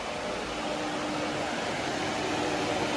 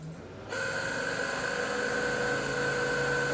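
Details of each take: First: Fiero replacement electric radiator fan wired to the ignition: a steady, even rush of air with a faint hum, no rattle or scrape, not too loud; healthy. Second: Pontiac Fiero radiator cooling fan: kicks on with a steady whir and a thin constant whine that stays even until switch-off; fan possibly due for replacement.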